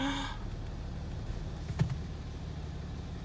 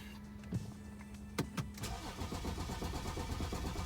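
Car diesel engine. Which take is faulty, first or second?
second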